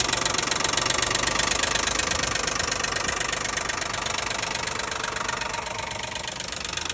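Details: 2012 Nissan Maxima 3.5 L engine at idle: quick sharp ticking, about four a second, from up top at the intake, not the bottom; the loose intake bracket had a missing piece.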